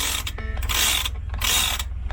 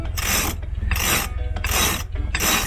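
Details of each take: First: Sailboat's Lewmar Ocean winch, already serviced: crisp, even bursts of fast pawl clicking with quiet gaps and no grinding or dragging, turning smoothly. Normal winch ratchet. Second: Sailboat's Lewmar Ocean winch, not yet serviced: four harsh, gritty rasping grinds, one per turn about every 0.7 seconds. A dry, dirty winch grinding that needs servicing.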